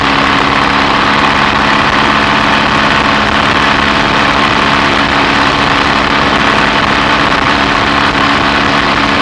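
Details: BSA A65 Thunderbolt on a test ride after the spark plug gaps were closed to cure an occasional Boyer ignition misfire under load: an even twin-cylinder drone under load with no stumbles or dropouts; normal running.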